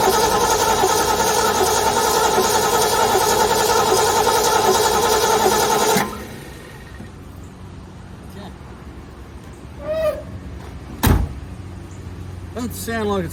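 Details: Ford Galaxie with new battery and fuel poured in: about six seconds of steady cranking that never fires, then stops; no spark, dirty points.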